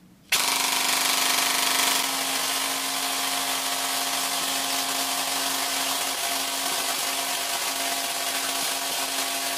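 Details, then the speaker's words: APS V2 airsoft gearbox with M120 spring, busted bevel replaced with an equivalent: a short harsh cycling burst, then a rough grinding whir as the gears strip and spin free. Another gear failure; the gearbox shell has big cracks and is leaking oil. "okay well that looks like another gear failure another gear failure"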